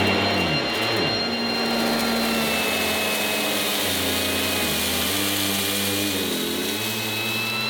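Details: 1980s mains-powered Goblin Roto handheld vacuum cleaner with rotating agitator brush during demonstration: loud airy motor roar with a steady high whine and shifting brush tones, running evenly; working fine, just very noisy.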